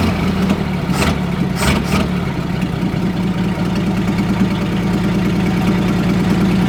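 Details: 1947 Chrysler Royal old straight engine, junkyard car restarted after sitting: catches and settles into a steady, even low idle with no knocks or misses; sounds healthy, normal idle.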